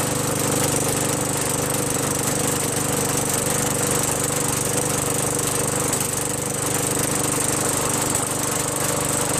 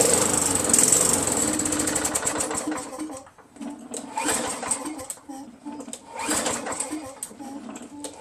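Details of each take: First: Craftsman 5.5 hp Tecumseh 21-inch push mower after a quick carburetor bowl clean with carb cleaner, fuel now flowing: loud, steady single-cylinder clatter at constant speed, no surging or dying; running normally. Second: Craftsman 5.5 hp Tecumseh 21-inch push mower that only runs on prime, 15 minutes after Mechanic in a Bottle additive: fires on prime, buzzes about three seconds, then sputters out; carburetor jammed with gunk and varnish.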